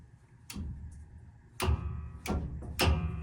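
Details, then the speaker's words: Hand-worked governor dog on a car after repair (new spring and rod fitted after the governor cable detached), giving four sharp metallic clacks about a second apart as it snaps into place; working and tight. "It is working. I'm not sure if I'm 100% sold on that, but she's tight. And you can hear if I work the dog right here."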